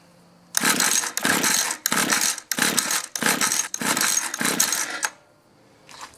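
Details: Mantis mini tiller 2-stroke, sat in barn about 10 years, after cleaning dirty coil, choke then no choke: seven quick pull-cord bursts, short rasping spins, no catch.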